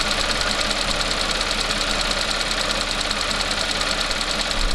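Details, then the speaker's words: Audi/VW petrol engine idling with rapid, sharp clacking about three times a second, louder than the engine, from the fuel vapor purge valve at the back of the engine bay; a common, harmless cause. "are you an owner of an audi or vw and you're hearing a very loud clacking noise which is actually louder than the running of your engine sounds exactly like this"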